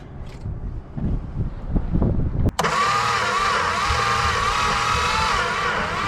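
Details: 1962 Plymouth Valiant slant six, long unrun: an uneven churning crank, then a sudden steady run on starting fluid. It catches briefly but won't keep running on its own; the spark plugs are suspected bad.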